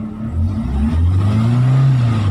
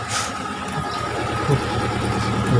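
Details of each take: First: Chery QQ 311 gasoline engine, in a video about a misfire: rises and falls smoothly through a quick rev with a clean, even low drone and no stumble. Sounds healthy, normal revving. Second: Chery QQ 311 petrol engine: catches and settles into an uneven, stumbling idle with an unsteady beat, misfiring at idle.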